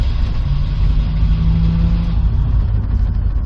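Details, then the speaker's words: Old Ford F-150 started at about seven degrees in a snowstorm; after a reluctant start it runs lumpy and uneven at a low, labouring idle, slow to settle. Rough cold running. "all right yeah she's not liking that she wanted to stay asleep i don't blame her"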